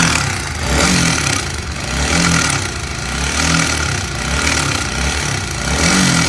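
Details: Honda CBR150 engine revving in surges about once a second with a rough, gravelly edge over the exhaust; abnormal engine noise, cause not identified.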